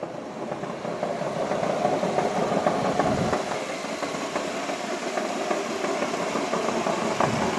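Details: 2005 Ford Freestyle SEL wagon idling in park: coarse mid-pitched drone and rattle over a steady idle, from the transmission, not the engine; it goes away in drive, cause unknown (possibly torque converter).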